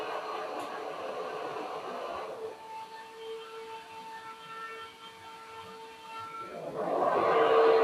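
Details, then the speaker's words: Elegoo Neptune 2S 3D printer power supply fan: its hum turns into a rougher rushing hiss when the stock grille is held over it, as air turbulence chops against the narrow slots; grille causes the turbulence noise. "so you see the fan is not silent by itself but the noise is completely different when we put the grille over it we can hear the turbulence being generated from the air blowing and hitting the grill instead of going out freely"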